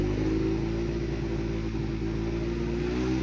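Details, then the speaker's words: Honda CBR 125 held at steady mid rpm; it idles unstably, stalls and won't rev: a slightly uneven, wavering drone. It runs properly higher in the revs, so an air leak is suspected rather than a fuel supply problem. "Ralenti instable, même en essayant de faire quelques tours de roue, impossible de démarrer. Elle cale, elle broute, elle ne monte pas dans les tours."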